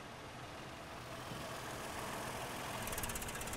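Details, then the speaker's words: 2007 Toyota 4Runner with P0016 code, bank 1: idle near 800 rpm starts smooth, then sags and shakes as if about to stall when the scan tool commands the oil control valve to 100% duty cycle, advancing cam timing; VVT responds correctly. "almost died all right so that's 100 percent duty cycle down the scan tool definitely created a change in our engine"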